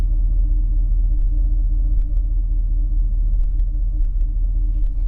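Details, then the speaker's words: Abandoned, stripped 1989 Bentley Turbo R V8 at idle after revival: an uneven, stumbling beat from a misfire, after the earlier ticking stopped and the smoke cleared. "Listen to it, though. That you can hear that there's a misfire."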